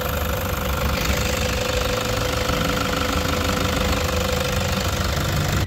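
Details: 2016 Toyota Hiace 3.0 diesel at idle: a steady, even clatter with no knock, squeal or rattle, sounding normal for now; the loud noise comes and goes and was traced to the alternator pulley, not the engine the owner suspected.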